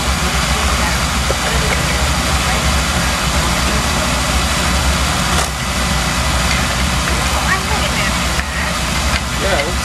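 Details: Dunkirk oil-fired boiler with Beckett oil burner on a no-heat call; carbon on the head was found as the problem and it is working fine now. Steady, even roar with no pulsing, rumbling or sputter; normal burner operation.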